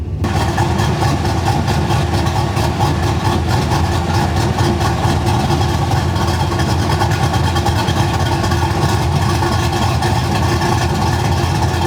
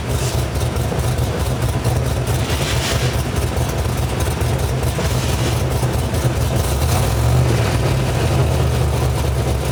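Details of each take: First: V8 with mild cam (216/220, .550 lift, 114 LSA), idle tuned via fuel trims and idle airflow, base timing about 18 degrees: loud, heavy lopey, uneven idle with deep rumble, demonstrating idle mixture set too rich. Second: V8 with a mild cam (216/220, .550, 114 LSA), base idle timing about 18°, and a ±10–12° over/under idle timing correction wall: a deep, lumpy idle rising and falling in an uneven lope, the cammed idle chop.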